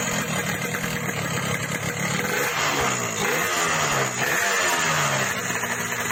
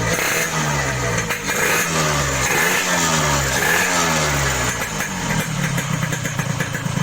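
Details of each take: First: Yamaha RX King two-stroke, owner's complaint that power is fine but the engine rattles: revving up and down with a harsh rattling clatter under the exhaust note; piston slap from excessive piston clearance. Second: Yamaha RX King two-stroke after reboring, which cured excessive piston clearance and the previous harsh rattle: crisp, even idle with steady popping exhaust and light blips, no rattle; smoother, normal idle.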